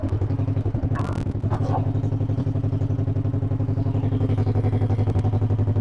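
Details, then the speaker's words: 1958 John Deere 420W two-cylinder tractor, cold start; brief early stumble, then regular steady putt about four pops a second while warming: normal idle. "Was stumbling a little bit as I was unhooking the cables, but I think now she's probably starting to warm up."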